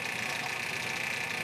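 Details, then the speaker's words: Grizzly G0765 7x14 mini lathe, first test run after rebuild: motor whirring with fast, light clicking from a damaged drive belt and an ill-fitting new motor pulley running off-center. "you can hear that clicking what that clicking is is the the belt and the new pulley the belt actually did have some damage on it"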